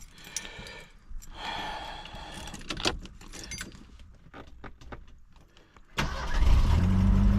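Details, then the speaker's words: 1975 Mercury Bobcat Villager with 2.3 Lima engine, started right away: keys rattle, engine catches at once and settles into a steady, even low rumble; clean, healthy start with no problems. "just like that no problems so it's got the 2.3 Lima in it"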